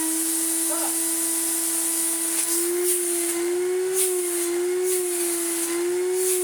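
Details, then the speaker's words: Well-used 1992 Numatic NV200 vacuum, motor looking good, first switch-on, filter holed and no bag: steady, even mid-pitched motor hum with airy hiss and slight slow pitch wobble; motor runs well. "Whoa! He does run well. I was not expecting that at all."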